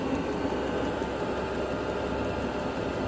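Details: Vevor diesel heater, after rough running at setting 4 with smoking, now heated up and quieted down: steady, even rushing hum of blower and burner, no surges, pops or rattles. Normal running.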